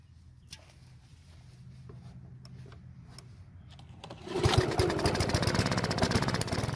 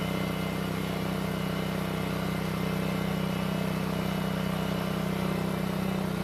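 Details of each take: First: Honda lawn mower stored over winter with bad, contaminated gas, won't start: quiet cranking, then fires after about four seconds and runs roughly on starter fluid sprayed into the carburetor throat, confirming a fuel delivery fault. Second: Honda walk-behind mower, old but well kept, running after a no-start fix (carburetor problem after winter storage): smooth, steady small-engine drone with even firing, no misses or surging; normal running.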